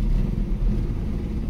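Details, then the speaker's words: 1965 Ford Mustang coupe after the points were set, the plugs cleaned and the timing and idle adjusted: steady, even low rumble at idle with no misses or stumbles. Smooth idle, much better than the earlier misfire. "it seems much better we're soon gonna be on a six-hour journey"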